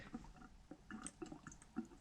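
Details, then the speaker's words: Newly installed AO Smith under-sink reverse osmosis system, first run after about 5 minutes with no leaks: irregular wet gurgles and drips of air and water in the drain line; owner thinks it may be the bleeding process. "This thing's made some gurgling noises. There's still some noise coming down here,"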